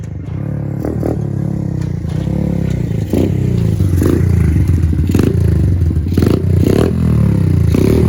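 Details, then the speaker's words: Pit Pro pit bike with a 90cc GPX engine, new Amazon carb replacing an oversized carb that ran too rich to run; idle and air-fuel set. Small single revs up and drops back crisply, following the throttle cleanly; normal running. "Okay, so the Amazon carb is on. The idle's set. I drove around a little bit, set the air fuel. It's running and driving pretty good, actually."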